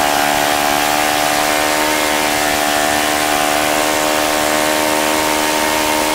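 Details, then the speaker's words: OS FS-95V four-stroke model engine, first run after rebuild with replaced bearings, on 15% Morgan Omega fuel, 14x6 prop, OS F plug, electric started. Steady, smooth high-rev scream with no misses; runs well despite a loose throttle arm preventing low idle setting. "so that was pretty impressive aside from the little issue I had with the throttle arm being really free and my throttle setup not allowing me to you know keep it down lower so I can get my tax set up seems to be a really fine running engine"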